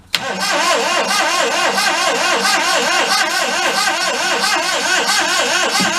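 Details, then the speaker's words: 1992 Daihatsu Hijet mini truck, sold cheap and thrashed, cranks steadily but never fires, even after an ether spray; no start, and the owner suspects no spark, still to be checked. "that would be a nada uh all right we gotta go check for spark which i think we don't have any of"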